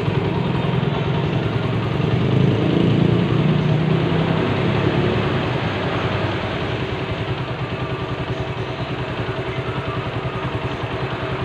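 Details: Suzuki Satria FU 150 after an engine rebuild; smooth, even single-cylinder beat at about three pulses a second, no knocks or rattles, the engine sounds smooth: normal idle.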